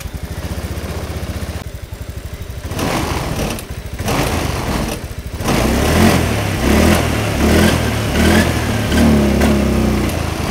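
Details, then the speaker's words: Motorcycle with no MIL blink code: after a part replacement it still misfires ("brebet"); it cranks, catches and idles with an uneven, stumbling beat and irregular loudness swings. The cause is suspected but not confirmed. "Tapi dengan kenyataannya apa namanya motor ini ya sudah kita ganti tapi tetap aja masih brebet, Guys, ya."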